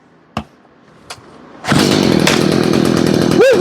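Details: Stihl two-stroke blower/trimmer/hedger, repaired after bogging with no power. Two pulls, then it fires and holds a steady high howl, picking up cleanly without stumbling; running healthy now.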